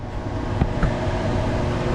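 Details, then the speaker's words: Cruisers Cantius 50 boat, new replacement Dometic air conditioner after the old unit kept tripping its breaker: AC water pump on, cool mode, fan turned up; low, even rumble of air blowing with no rattles or squeals, normal AC fan running. "now again let's go double check now you really hear it blowing cuz I turned on the cold air"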